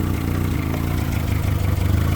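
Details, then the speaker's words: Honda EK with swapped-in engine at idle: shakes and stumbles, sputtery since startup, fuel pressure only about 28–30 and unchanged with the regulator disconnected; codes show multiple-cylinder misfires on every cylinder; rough running misfire. "Little sputtery on startup and you can hear it's still sputtering, but go over here to the gauge and we're at about what is that like 38 or 28 to 30ish. Won't go any higher than that and it's not very happy."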